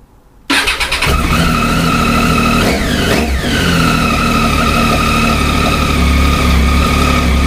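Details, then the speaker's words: Triumph Tiger 800 after exhaust and intake mods, catalytic converter and oxygen sensor removal: cranks, fires instantly, settles into crisp even idle with blips; runs healthy. "Now I'm just going to lower the bike and we're just going to turn the ignition on and fire it up to show you that there's no engine check light. It's on now as it should be, and when I fire it up it should disappear."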